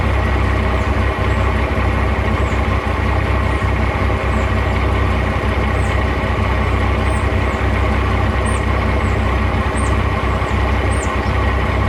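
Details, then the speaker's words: 1989 Dodge first-gen Cummins diesel with a new HX35 turbo and marine 370 injectors. Steady loud clatter at a slightly high idle of about 800 rpm with an even knock rhythm. Clankier since the new injectors but smokes less; normal, healthy. "idle's a little high right now, probably about 800 RPM, but sounds pretty good. Turbo sounds pretty nice, and I definitely have noticed that it sounds a lot better and it smokes a lot less."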